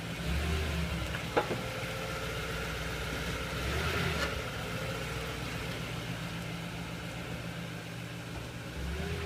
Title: Tundra clunk noise?